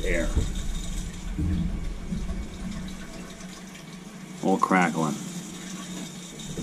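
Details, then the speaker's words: Crown hydronic boiler, no heat at start of heating season, purging second-floor zone: irregular crackling and gurgling as water spits through hose into bucket, lots of air bubbles; air trapped in heating pipes, system lacks an air scoop. "show the air coming out put the hose right in the bucket the air bubbles don't lie okay the crackling is air a lot of air"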